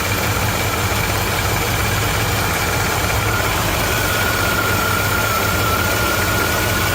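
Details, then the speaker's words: 1956 Chevy small block V8 after being run out of oil, rod knock previously heard now gone: steady fairly quiet idle with faint light lifter rattle, no heavy knocking underneath. "Yeah, it's actually pretty quiet. It's not too bad. There's some little bit of rattle in the lifters."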